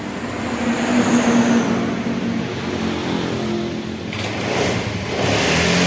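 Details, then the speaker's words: Honda Vario 110 carburetor scooter during the charging check after the battery was charged to 11.81 V: engine revs up cleanly and climbs steadily with the throttle, with no misfire or stumble, and the charging voltage keeps rising. "Untuk pengecekan bagian pengisian, naik ya, ini naik terus."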